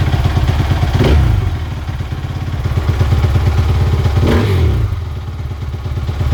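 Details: Suzuki RM-Z450 motocross bike, started after fitting new grips, handguards and brake lever to check the throttle: steady deep single-cylinder thump, two quick blips dropping straight back to even idle; normal idle.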